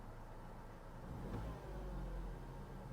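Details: 67-plate Nissan Qashqai bought cheap, reported as idling unevenly with ancillary component noise; slight whine at ignition on. Revs climb and fall smoothly with no stumble or misfire, so it doesn't rev unevenly.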